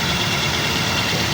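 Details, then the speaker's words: 2014 Avanza Type G, original with one owner, idling after about 5 minutes of warm-up with no leaks. The idle is a steady, even, smooth hum with no knocks or misses, and the engine sounds healthy. "Ya, ini sekitar sudah 5 menit dipanasin. Kondisinya idle, langsam, tidak ada rembes-rembes."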